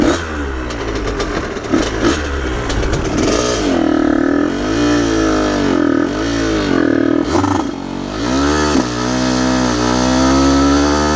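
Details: Aprilia RS50 frame with YZ85 two-stroke engine on stock clutch, springs and jetting, clutch basket ridges shaved: revs rise then sag and stumble repeatedly under load, bogging and nearly dying; cause not pinned down, owner suspects tuning.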